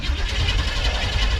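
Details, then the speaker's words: 1979 Chevrolet C10 Squarebody with 350 engine, neutral relay switch removed and its two wires jumped: steady low even cranking, no clicking; starter now turns engine over normally. "y'all hear that now she works like she's supposed to"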